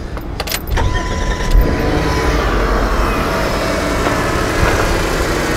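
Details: 2000 Chrysler Sebring JXI after starter replacement for no-crank fault: brief crank, catches quickly and settles to smooth steady idle without grinding or clicking; normal crank and start.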